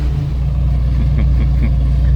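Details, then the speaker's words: Supercharged hot rod with Holley Super Sniper EFI, tune being smoothed (start fuel slightly rich, tip-in improving): steady, thin, flat exhaust rumble at light throttle since supercharger isn't building boost; note expected to deepen with boost. "partly because the supercharger is not building boost as soon as I get boost on it that exhaust note it's going to get much deeper"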